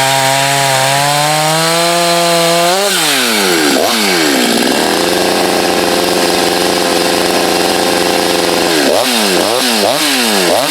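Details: Husqvarna chainsaw test cuts in firewood (51 salvage saw alongside a 254 and a 562; 254 said not broken in): revs crisply, dips as it bites into wood, then holds a strong steady pitch through the cut; normal healthy saw under load.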